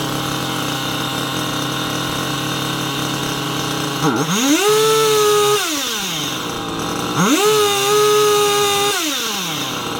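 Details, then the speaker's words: Two-stroke engine with a Chinese carburetor that previously wouldn't hold a tune: rough, uneven idle with two quick revs that rise, sag and drop back; mixture won't stay set, cheap carburetor suspected. "hour remember last time we tried to tune this thing we cut it it wouldn't even hold a tune I guess that's super common for these Chinese carburetors"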